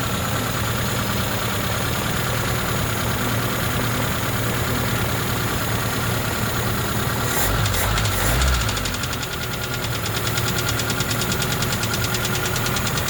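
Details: ZAZ Slavuta 1.3 petrol engine idling after head removal to retrieve a carburetor stud dropped into cylinder two: uneven knock about three per second persists; four mechanics could not find the cause.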